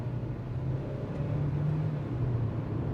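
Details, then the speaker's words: Kia Seltos turbo-petrol iMT, upshifting from 2nd to 3rd near the redline without lifting: steady low cabin drone swells briefly as the engine flares through the gear change; the iMT smooths the shift, but an unnecessary rev flare is heard. "so एक unnecessary acceleration का आवाज आपको cabin में सुनाई देगा. The IMT is smart enough to make those upshifts smoother and seamlessly, but वो आपको आवाज फील जरूर होगा."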